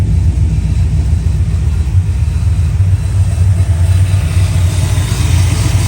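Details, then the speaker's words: Fox-body Ford V8 after roller conversion with Duraspark removed: deep, steady rumble at idle with no top-end ticking, revs fast; yet under load it misses and hesitates until about 3000 rpm, distributor suspected. "uh doesn't run right not 100 sounds good uh revs fast"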